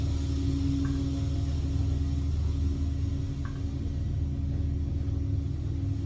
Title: Elevators aren’t supposed to sound like this… #bad #bearing #otis #dover #traction #elevator